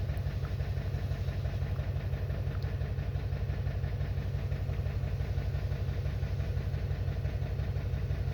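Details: 2021 Toyota Camry uneven low idle with a steady thump about three times a second breaking the rhythm. The misfire is caused by an internal ECM fault in the ignition coil control circuit.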